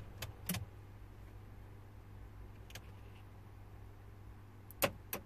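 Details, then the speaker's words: 2005 Renault Modus 1.5 dCi, no crank, no start, cluster dark, no communication with ECU, EPS, airbag modules, immobilizer light solid, key on: quiet hum with short sharp clicks and whirs as door locks cycle on their own. "you hear it looks like the doors to me trying to unlock us another"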